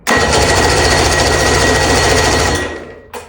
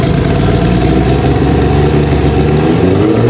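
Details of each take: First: Outboard engine with carburetors just rebuilt with modern gaskets, cranked without starter fluid: even cranking churn that never catches because the spark plug leads were not connected; no spark, starts once hooked up. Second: Carbureted engine starts without starter fluid after carb rebuild with new bowl gaskets (bowls not leaking), catches and revs cleanly with throttle, no misfire or stumble; first crank failed because spark plugs weren't connected. Normal start and run.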